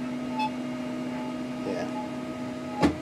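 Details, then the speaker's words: Creality-style 3D printer after linear rail and 10mm Y belt conversion, sensorless homing; steady stepper hum with thin squeak and one sharp scrape while homing; rail carriage squeak, owner suspects rails need working in, lube, or rubbing plastic. "Yeah, squeaks coming from right there. I think it just needs to get worked in because it's probably rubbing against some plastic."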